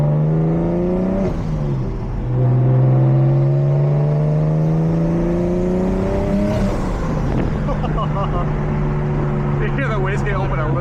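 Engine note climbs smoothly under load, drops at the shift, then a light rushing flutter as the wastegate cracks open; normal boost control.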